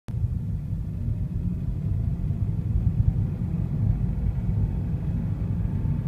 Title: Unknown engine sound 2